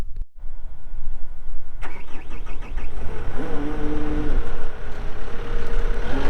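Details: 2020 Caterpillar 299D3 skid steer diesel, 2,159 hours: catches after a short crank and settles into a steady, even idle with no knocks or rattles; engine sounds healthy.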